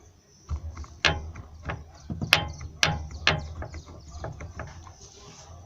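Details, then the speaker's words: Corsa rear suspension, noise heard from trunk area: sharp irregular knocks and clunks from a worn, blown-out shock absorber bump stop; other side has slight play but doesn't knock; fix is replacing the bump stop. "ó e ele bate aqui ó o barulho que faz um o que o batente tá estourado oi ó"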